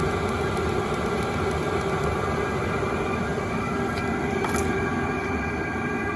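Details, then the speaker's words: Chinese eBay diesel heater running at full output after being turned back up by remote; the exhaust is quiet. Steady, even roar and smooth air rush with no pulsing, popping or rattles; normal running. "you know for this exhaust it's not very loud at all"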